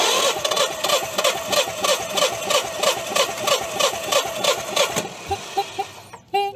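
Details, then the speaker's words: Propane-fueled engine cranking during a compression test: a steady, even beat about three per second with no skips. Reading is 185–190 psi, off by roughly 5–10 psi, so cranking is essentially normal. "Okay, 185, 190, so we're off by a little bit, not much. About 5 pounds, 10 pounds."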